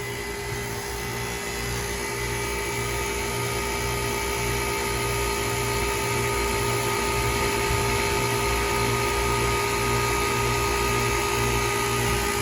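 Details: Old 2008 KKT chiller with hot gas bypass capacity control, holding within 0.4 °C of set point, after contactor replacement: steady hum with smooth constant compressor drone, no knocks or rattles; running normally, though one circuit's compressor reportedly has a problem.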